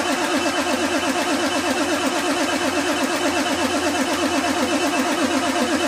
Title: F350 cold start no start